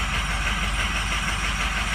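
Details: Diesel truck, 8,000 miles, cold start at 68°F: uneven, lumpy idle with dropping chuff; misfire suspected from failing injectors, especially number seven and the passenger side, with number three a concern, not confirmed.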